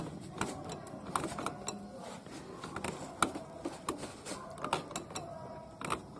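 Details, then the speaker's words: Honda Accord, engine off: levering the automatic belt tensioner gives irregular creaks and ratchety clicks as it binds; weak or rusted internal spring letting the belt slip and squeal, worse with A/C on. "可以听到也是发卡了。我搬这个粘紧轮就会有听到发卡的声音，说明这个里面的弹簧不行了。"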